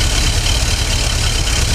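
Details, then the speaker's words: Ford 460 V8 (70s/80s) with 750 carb in a pre-runner: deep, slightly lumpy loping idle with hiss on top while mixture screws are adjusted; running rich, idle drops as screw turned in, backed out half a turn. "Well, we're gonna tune it because it runs like poo-poo."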